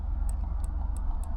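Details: Gulf Stream Endura motorhome relay bench-tested with power applied: only faint, thin ticks over a low hum, the relay barely clicks and the meter shows no continuity, unlike a good relay's audible click; failing relay.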